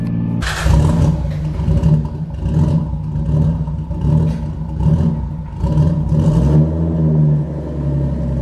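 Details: Newly bought cheap Nissan R33 Skyline GTS-t being driven on the road, gearbox also noted as sounding horrible. The engine surges unevenly in rough pulses about once a second instead of pulling smoothly; running rough, cause not yet known.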